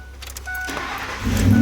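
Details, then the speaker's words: 2003 Ford Expedition that came in with no crank, burnt and very hot part found, after adding a fuse: brief crank then engine catches at once into strong, even run; normal start. "and it starts right up"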